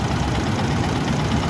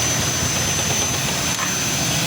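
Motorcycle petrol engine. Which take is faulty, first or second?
second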